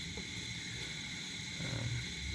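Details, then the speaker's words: 1947 nickel Coleman 500 series stove, small gap in burner frame, fully warmed up: steady hissing roar with even low rumble, no sputter or surging, clean full flame; normal burner roar. "You know, once you get these stoves going, they're gonna roar and, you know, really put off some good heat."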